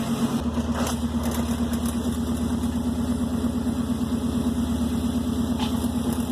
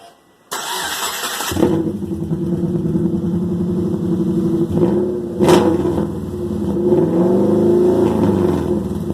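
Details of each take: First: Subaru Forester daily driver after a junkyard-style exhaust rebuild, started and idling: even, steady idle hum with a regular pulse and no puffing or ticking; normal idle, no exhaust leaks heard so far, underside check pending. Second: Loud harsh open-exhaust bark with brief rev blips on startup: a Subaru Forester daily driver whose broken exhaust has the muffler and tailpipe removed, leaving an open header with only the catalytic converter. It was revved only lightly.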